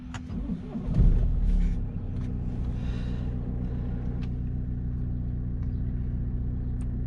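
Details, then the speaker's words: 2013 BMW F30 318 after oil, oil filter, air and cabin filter service: quick start with short flare, then smooth even idle with no ticking or roughness; normal start-up and idle. "yeah we sounded good so that's basically that wraps up the service"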